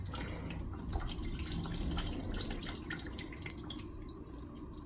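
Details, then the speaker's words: Home heating oil system during an oil filter change: the bleed bolt is deliberately opened too far, so oil sprays under full pressure with a loose, uneven hiss and spatters into a bucket; the bolt should be opened slowly. "Whoa, a little bit of a spray. That's why we put the bucket down. You don't want full pressure, you want slow."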